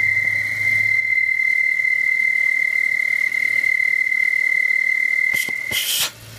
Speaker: Ce bruit se produit lorsque la soupape est obstruée, partiellement ou complètement, et ne s'ouvre et ne se ferme plus correctement.